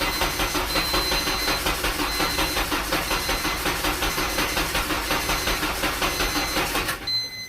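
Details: Honda K24A2-swapped Fiero GT, first start attempt: starter cranks at an even pace for about seven seconds and the engine never catches; no start because the cam and TDC sensors were unplugged.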